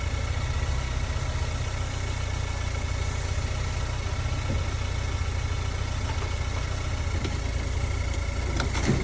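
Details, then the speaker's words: Towed vehicle at a city impound auction that needed a jump start, moved forward and backward: deep, smooth, very quiet steady idle with no knocks, ticks or whine; the engine sounds healthy. "Sounds really good. That engine on this one sounds really quiet. Sounds like it's running well."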